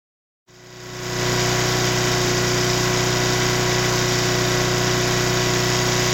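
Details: Mid-1980s Nissan GX1000 750-watt petrol generator starts and settles into a steady, even hum with no knocking while unloaded; under a 500-watt load it makes metallic knocking, owner unsure if rod knock or loose muffler.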